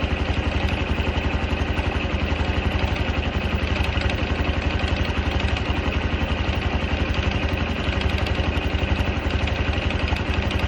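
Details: Honda Cub 110 JA44 at steady idle with a light, even metallic rattle ticking about four times a second over the engine beat; the cause is unknown.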